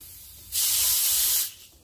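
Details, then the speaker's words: Air conditioner refrigerant charging: sharp, even hiss lasting about one second as air is bled from the manifold gauge hose section before opening the valve to add refrigerant. "quindi apri la valvola può , drenare l'aria da questa sezione del tubo. Scaricare un po' da qui"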